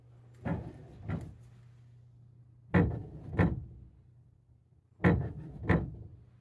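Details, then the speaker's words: 10-year-old washing machine's solenoid inlet valves slamming shut cause severe water hammer: heavy hollow paired bangs echoing through the house's pipes over a low hum; spring-piston water hammer arrestors since fitted have reduced but not cured it. "Our washing machine in our house water hammers so bad it echoes through the entire house."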